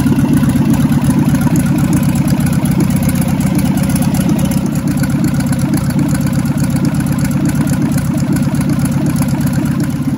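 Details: 1977 barn-find VW Bus Type 4 air-cooled engine, first start in over three decades: steady, even low-pitched thrum with no knocks or misses; idles smoothly and healthy.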